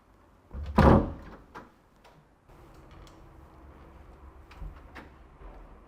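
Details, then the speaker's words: Wooden door closing with a dull, muffled thud and a few soft knocks after adhesive rubber door seal strips were fitted to cushion it and reduce slamming noise. "เดี๋ยวเรามาดูใกล้ๆกันเลยว่าสิ่งที่เราติดไปเนี่ยเขาจะช่วยกันเสียงให้เบาลงที่เราเราพูดไว้หรือเปล่านะคะมาดูกันเลย"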